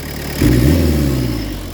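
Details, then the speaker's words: Peugeot 205 turbo diesel with lightened 4.5 kg flywheel and performance clutch, badly adjusted: clatter swelling into one heavy labouring rev that droops off slowly, like a locomotive; over-rich on acceleration, fuel screw to be adjusted. "Vous avez bien vu quand j'accélère là, c'est une locomotive."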